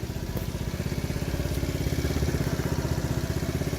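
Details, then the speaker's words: TaoTao 50cc four-stroke scooter after new float: small single idles steadily at about three pulses a second, slightly uneven but no longer bogging when throttled; running acceptably now. "that's running much smoother to the point where whenever I crank on this now there's no bogging down anymore"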